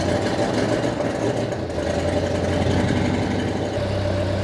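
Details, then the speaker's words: 1972 Plymouth Duster after resealing valve covers and loosening the distributor to advance timing: lazy, lumpy idle with uneven beat and a step change, as if running on two cylinders; owner suspects timing was way off and rockers need adjusting. "sounds like it's running on like two cylinders"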